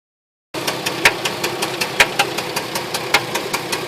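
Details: 2004 Jeep Liberty automatic 4x4 at idle: crisp regular tapping keeping pace with the engine over a steady hum, appeared out of nowhere; engine knocking, cause unknown.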